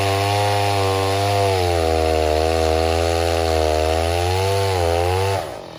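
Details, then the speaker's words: 070 clone chainsaw, 42-inch bar, first use cutting white oak firewood: hard buzz whose pitch sags and recovers twice mid-cut instead of holding revs; bogging under load; owner suspects carburetor tuning he can't get right. "I cannot get that carburetor on the 070 figured out no matter what I what I do uh the saw just wants to bog I can't seem to get it up to the RPMs that I want it"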